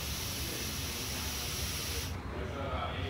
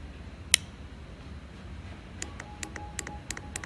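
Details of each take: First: EGR valve solenoid on the bench, already failing to click when powered (likely seized): air blown through one port with a rubber hose gives a steady hiss for about two seconds, escaping through the solenoid, so it is not holding vacuum. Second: Known-good EGR valve solenoid powered with a power probe: sharp crisp clicks, about four or five a second, as it actuates normally, unlike the likely seized solenoid, which gave no click.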